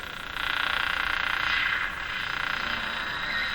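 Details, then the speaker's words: General Electric CL541A ship radio after tube testing and voltage checks: raspy buzzing hiss pulsing about three times a second across most of the band, a strong external noise signal desensitizing the receiver by cutting back AVC/sensitivity. "now the ticking sound that's not from the radio that's an actual noise signal coming in two minutes there so this noise signal is so powerful that it's going to be cutting back the AVC or cutting back the sensitivity it's going to desensitize the radio"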